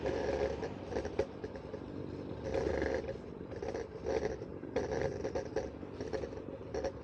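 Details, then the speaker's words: AOVO OOK-TEK V8 electric scooter with solid tires, ridden over cobblestones after tightening the folding mechanism. Irregular clattering bursts with each bump. Rattle persists; something loose inside, not controller or battery; owner blames non-inflatable tires. "so now let's go to the same Cobblestone and see if this has made any Improvement for the rattling noise all right still a disaster I feel bad well as you can hear it didn't solve all the problems"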